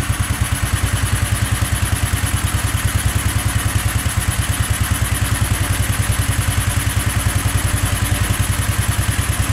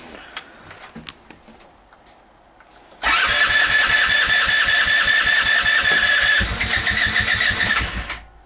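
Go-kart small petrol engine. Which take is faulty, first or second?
second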